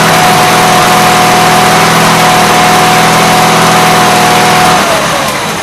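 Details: Gravely 8163-T after a carburetor swap with a new air cleaner setup and adjusted PTO: a steady, even idle hum with a clean unchanging note, then the speed falls away at the end; runs smooth, normal idle.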